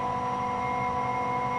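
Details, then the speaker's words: 20 hp twin-tower integrated rotary screw compressor with soft start, just turned on and loading: steady, even hum with a constant high tone and smooth airflow, no knocks or rattles; running loaded and healthy. "we're gonna turn the unit on you can hear how it runs how it sounds it just turned out to load the compressor now it's a soft start unit"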